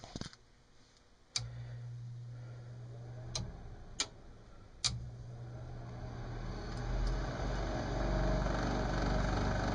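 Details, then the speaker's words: Lennox mid-efficiency furnace: relay clicks, then the inducer fan spins up with a loud rough rumbling roar; its motor bearings are probably shot, fan to be replaced. "so that's this guy here bearings in it are probably shot and we're going to replace it"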